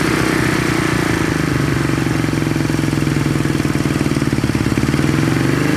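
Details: 1970 Honda SL350 twin at normal idle on first start, fuel poured down plug holes and carb leaking gas; even, steady firing beat with no misses or knocks, settling and running cleanly.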